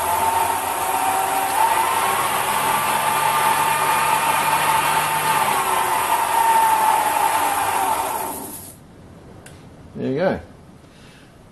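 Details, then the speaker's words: Sherline metal lathe on a new base mount: steady mid-pitched whine with a rough hum, then it stops. It is noisier than the owner's big lathe. Some movement is seen, possibly from the motor; the cause is unknown. "to any Sherline owners or ex-Sherline owners, how does that sound noise-wise? I mean, do you think that is normal? I mean, this lathe's actually fairly noisy, I think, for its size."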